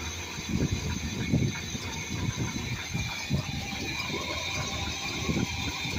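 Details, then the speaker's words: Old engine first run after about two years sitting, new fuel filter: steady rumble with repeated throttle blips, no ticking or knocking; runs healthy, only a small long-standing exhaust gasket leak noted. "It runs so damn good. Yeah. It doesn't tick. It doesn't knock."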